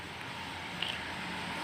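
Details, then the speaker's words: Polytron single-door refrigerator not cooling with light on: steady low hum with even hiss, compressor running normally, condenser getting hot, current about 0.6 A. "nah teman-teman bisa terdengar sendiri ya untuk kompresornya sudah berjalan sudah bunyi ya teman-teman"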